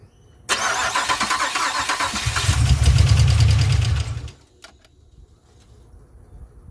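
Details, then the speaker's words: 2007 Pontiac Grand Prix GXP, first start after a stage 3 cam, VATS/DOD delete and HP Tuners tune, on stock 42 injectors: cranks and starts but runs lumpy, with rapid popping and ticking over a shaky idle. An injector is spitting fuel. "so it doesn't sound very happy but it does crank with the key and it starts"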